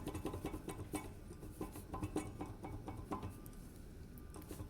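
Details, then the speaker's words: 2006 Chevy Uplander, right rear wheel: light metallic clacks in irregular bursts as the loose rear brake caliper is rocked by hand. It bangs over bumps when driving; the cause is missing caliper slide pin bushings. "and i'm pretty sure this is where the noise is coming from it's kind of hard for me to make it really pronounced but i think when you're driving down the road you have the weight of the car and the axle bouncing up and down i think that's where the noise is coming from"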